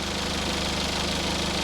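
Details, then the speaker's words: Small car idling after its earlier squealing and horrible noises were fixed: steady even idle with a smooth low pulse, no squeal or knocking; engine sounds healthy. "Remember before when this thing was like squealing, making all kinds of horrible noises? How much better is that?"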